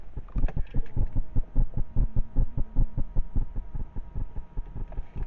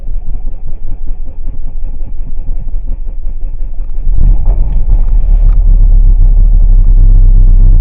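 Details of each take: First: Chrysler Grand Voyager 2.8 CRD diesel, cold morning, ignition on before start: fuel primer pump in background, quick even low pulsing about 2.5 per second with faint hum; normal priming. Engine has cold-weather cutting-out problem above 2.5k rpm and at idle. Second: 2.8 CRD diesel Chrysler Grand Voyager on a cold start in ice and snow: engine churns and labors roughly at low speed, then surges with a heavy rumble, running unevenly and threatening to cut out; cold-weather stalling, cause not yet confirmed.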